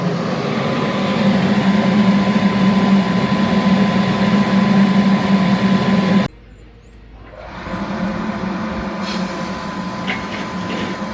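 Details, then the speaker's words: Universal Effect ST 350 foam machine: steady blower roar with thin whistle cuts out abruptly as foam production is switched off, then turbine runs alone evenly at lower level; turbine running normally with pump off. "Donc là j'ai coupé direct. Donc là il a arrêté de produire de la mousse."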